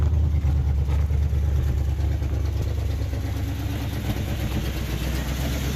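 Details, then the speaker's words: 1968 Impala 327 V8 with Turbo 400, reportedly off the road almost 40 years, running on bottle-fed gas after only cleaning the points; deep steady V8 burble at idle, even pulses, no knock or misfire: normal idle. "all I did was clean the points off and left everything else alone and it's just sitting here idling and we just ran out of gas"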